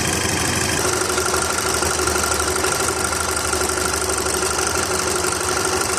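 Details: VW Golf/Jetta Mk5 2.0 FSI at idle, before timing chain replacement: busy metallic rattle and chatter over a steady idle, fairly constant in tone; stretched timing chain slapping its guides; a brittle leaking pipe was also replaced.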